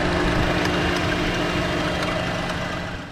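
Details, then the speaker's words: 2014 Chevy Cruze 1.4 turbo four-cylinder idling with cylinder 4 misfire shown on scanner; sharp irregular snapping/arcing over the hum from suspected failing ignition coil pack, worse in damp weather; chirping noise possibly PCV valve in valve cover. "when it's running you can kind of hear like an arcing sound or something snapping"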